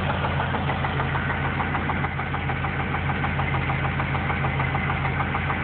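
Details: Idling petrol engine with a steady, sharp knock about three times a second; oil level was found low about four months after an oil change. Owner suspects the heads or lifters, mechanic says rod knock. Unconfirmed.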